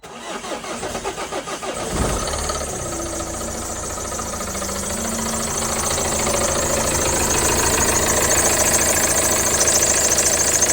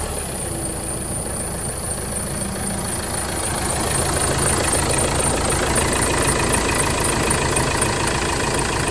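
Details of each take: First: Vauxhall Movano / Renault Master 2.3 CDTi RWD diesel van starting and idling: busy metallic rattle from the worn, wobbling dual-mass crankshaft (bottom) pulley. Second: Vauxhall Movano / Renault Master 2.3 CDTi diesel van at idle after replacing the rattling, wobbling dual-mass crank pulley, with the belt and tensioner not changed: an even, steady clatter with no rattle from the pulley area.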